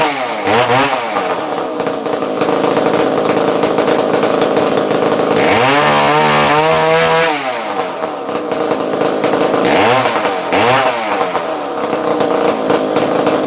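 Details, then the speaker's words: Used chainsaw with manual oiler only and missing muffler, restarted with decompression valve pushed in: crisp buzzing idle climbing cleanly through several quick revs and settling back without stumbling; normal running. "Yes, she does sound amazing. Let's listen to her fire right back up. Push your decomp in, turn her on."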